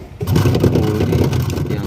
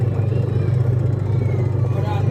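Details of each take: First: Polytron twin-tub washing machine running but very noisy: harsh low rumble with a grinding edge as the wash motor spins; loose pulley rubs the wash motor cover because the shaft hole or gear is worn or damaged. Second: Polytron twin-tub washing machine after repairing a harsh noise from inside the wash motor and fitting a new transmission, tested empty: steady low hum with even rhythm, no rubbing or scraping; rotation smooth and fast.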